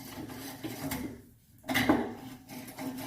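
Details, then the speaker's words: Rolling 30-inch Rhasco pressure-washer surface cleaner with a rough rasping grind from its front caster wheels, their bearings completely worn out. "bearings are completely shot in my front Castor's so I would need two new ones of those"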